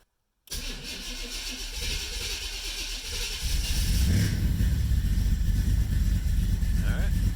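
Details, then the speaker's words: 1990 Camaro, SBC 350 with Vortec heads, Holley Sniper EFI, Flowmaster mufflers, after head gasket replacement, cold start after sitting a week: starter churns briefly, engine catches cleanly into a steady, even fast idle at the right speed, no knocks or misses. "up pretty good Eiling right around where it should be this is cold start hasn't started in about a week so a lot easier than a carburetor"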